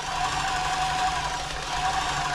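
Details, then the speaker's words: New Home 641 sewing machine, seized from drying out in loft storage, now running freely at full speed after oiling with WD-40: fast, even mechanical chatter and steady motor whine, no binding or slowing, like a little train. "full speed like a little train"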